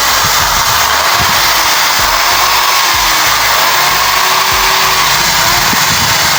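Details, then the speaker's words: Old Bosch drill, carbon brushes replaced; after repair the small motor spins up to a steady high whir at even speed with no rattle or sparking crackle, music behind; drill runs healthy. "இல்லனா சுவிட்ச வந்து clean பண்ணி திரும்ப நல்லா போட்டு dust பண்ணி dust எல்லாம் எடுத்து நம்ம போட போறோம். இப்ப மெஷின் ரன் ஆகும்."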